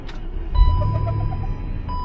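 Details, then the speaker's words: Rover on road, short run of squeaky chirps and thin whistle over low road rumble while turning; dry steering squeal, owner suspects the steering needs greasing. "hear that that was my uh steering wheel sounds like it needs to be greased"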